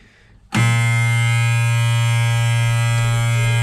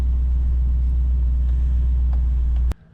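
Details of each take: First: Auction machine: the engine catches and jumps straight to a high, steady buzzing race that never drops to idle. It sounds like it is running away, so it is shut down. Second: nothing sounds good i don't know this one's going on the watch list for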